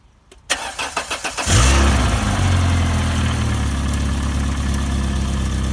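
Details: Barn-find Volvo 480ES on a replacement ECU, fuel pump primed: cranks about a second, catches cleanly almost at the first turn of the key, flares and settles into a steady, even idle; healthy first start.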